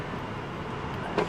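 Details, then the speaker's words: Subaru Outback auction car with suspected electrical issue (fan surging, hazards turning on by themselves): power window motor gives a short, steady, even whir with no grinding; window works normally. "less important window Works Air Conditioning by the way does work"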